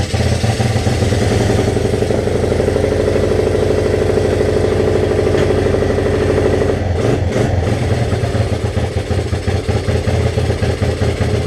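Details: 1986 Honzuki 250cc carbureted quad after slide carburetor cleaning: single-cylinder runs steadily with an even putter, picks up cleanly when blipped and settles back; carburetion sounds healthy.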